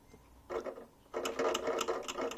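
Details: Fan heater: quick buzzy ticking rattle in fast regular bursts as the fan spins, something loose chattering; appears to be a broken mount for the fan/motor.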